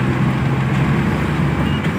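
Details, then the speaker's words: Maruti Omni road test after crown (differential) bearing replacement that cured a loud howl above 40 km/h: steady low road rumble and slight wind, no whine or howl rising with speed; normal differential. "और यह देखिए कोई आवाज नहीं बिल्कुल भी जैसे original company से आती ना वो आवाज है गाड़ी की यह देखो इतनी प्यारी चल रही है"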